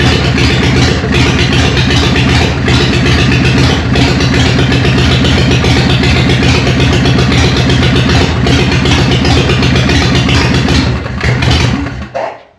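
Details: Newly built Harley Evo chopper on first start, choke on, in neutral: loud, lumpy V-twin idle with steady potato-potato lope, no knocks or rattles; running healthy.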